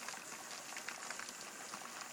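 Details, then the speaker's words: Pressure canner after 10 minutes of venting with the weight on, waiting for pressure to build: soft, dense crackling bubbling with no hiss or rattle as the water boils faster inside. Normal boiling. "can hear the boiling going a bit faster and faster inside the canner."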